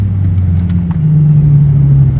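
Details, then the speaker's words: Hyundai Genesis Coupe 3.5L accelerating on road test after custom dual-tip muffler replaced a loud hack job; deep smooth rumble rising steadily, no rattles or drone, plenty of power; normal exhaust note. "oh she sounds good he's going to be happy he still got that nice little 30y feeling to it but it's not overwhelming there plenty of power"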